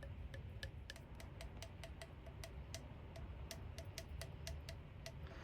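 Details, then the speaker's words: LG 10.5 kg washing machine with knocking for about two years, shaken by hand with motor off: light sharp plastic clicks about three a second from a loose black part on a rusted shock absorber. "So, it seems to be this whole black thing on the shock is actually loose. If you can hear it."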